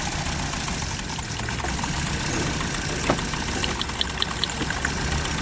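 Steady idle with an uneven, stumbling beat and occasional irregular knocks under it, consistent with a cylinder misfiring at idle.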